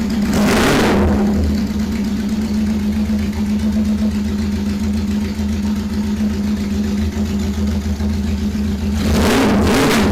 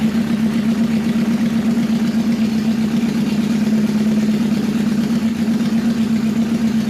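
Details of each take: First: 1977 bike (KZ1000 or CB750) cold start. Catches and settles into a steady, even idle with two brief throttle blips, no misses or knocks. Normal cold start and idle. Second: 1977 CB750 custom bobber idling during carburetor synchronization, very loud. Steady, even low hum with a slight unevenness: the carbs are a little out of balance, with one cylinder pulling high.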